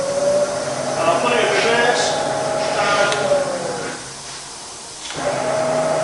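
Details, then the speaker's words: Bridgeport milling machine (48" table, Vari-speed head) spindle in high range: steady mid-pitched hum with soft whir, no knocks or grinding, briefly fading then picking back up; smooth, normal spindle running. "Put it to something more sensible, like 2000. Let you listen to it at that. Yeah, it's super smooth."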